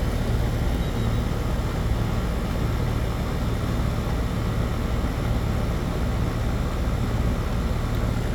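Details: AC condensing unit running normally after a bad dual run capacitor was replaced (universal Turbo 2000) on a no-cooling call: steady low electrical hum, even fan rush, no clicks or rattles. Compressor draws about 10 A, condenser fan about 1 A; suction pipe is cold.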